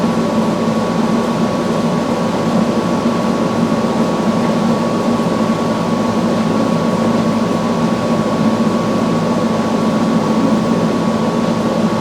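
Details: Samsung front-load washer after replacing all four shock absorbers with OEM shocks, running a calibration spin with an empty drum. An even, steady hum and constant whirr with no thumping or knocking; normal.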